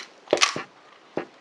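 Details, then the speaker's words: Abu Cardinal Bronco 4 / Max 4 spinning reel after reassembly: a few crisp, sharp snaps and clicks as the bail arm flips over cleanly; reel in working order. "there you go the bell arm snaps over quite nicely and this is now for working order"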